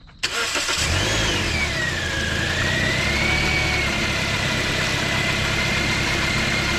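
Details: Car after alternator replacement and belt tensioning: a quick crank catches at once and settles to a steady idle with a faint belt whistle. Squeak means a loose belt needing tightening; the engine otherwise starts normally.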